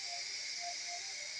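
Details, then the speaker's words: Older-version Noxxa pressure cooker after a 5-minute high-pressure cycle of glutinous rice (loh mai fan), switched to keep-warm: steady, high, unbroken steam hiss from the valve; normal pressure release before opening. "okay okay you can see the sound of the means the pressure inside is it has been released so just let it be right"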